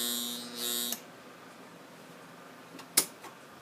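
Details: Mini sanding machine that won't spin: hard electric buzz for about a second with no motor wind-up, then quiet; stalled motor from failed run capacitor, fixed by capacitor replacement.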